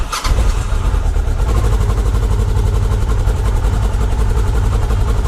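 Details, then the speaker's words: Kawasaki ER6f/Ninja 650 (EX650) parallel twin just started cold after fairing rattle fix: catches sharply, then brisk even idle held high by automatic choke, no fairing rattle; normal. "So it's running a little bit high res because it's only just started, and it puts the automatic choke on."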